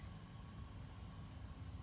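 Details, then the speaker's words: 2011-2024 Infiniti QX56/QX80 after fuel pump replacement, 15 amp fuse refitted, key on without brake pedal: steady low hum with faint thin single-pitch buzz, engine off; new fuel pump priming normally. "put the 15 amp fuse back, turn the key on without the brake pedal just to get the engine on to prime the pump. You hear it buzzing."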